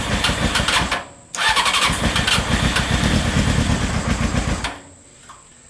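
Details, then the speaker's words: Old Honda CBR600 engine in a reverse trike project, two years sitting, carburetors not yet cleaned, choke on with starter fluid: catches and runs ragged about three seconds then dies; spark and fuel pump work, owner expects carb cleaning needed. "thing's not completely dead haha so this thing does show signs of life which is awesome so at least we know it gets it's getting sparked the fuel pump's working so that's awesome"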